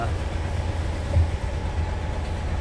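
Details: Engine running after the defective battery relay and fuse behind a total power blackout were replaced and the battery cable fixed: even low rumble with a steady beat and no misses or knocks. Runs smoothly.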